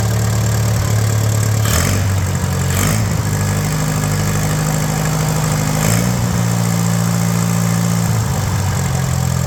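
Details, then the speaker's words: Old Case tractor, owned 36 years, first start after long storage with no coolant, running on jumper wire to coil; low steady idle with slight lope, no knocks, 30 psi oil pressure, carb needs adjusting, no fuel leaks. "I knew this thing would run I knew it sounds good I mean I got to play with the carb a little bit but it's not leaking gas out"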